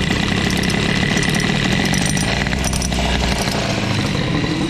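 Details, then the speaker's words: Boost/Airsal 70 cc two-stroke moped engine after owner's own makeshift fix, at idle: busy rattly idle with a buzzy metallic clatter riding on the beat; an annoying unwanted noise, source not pinned down. "Ah, ça m'énerve ce bruit là."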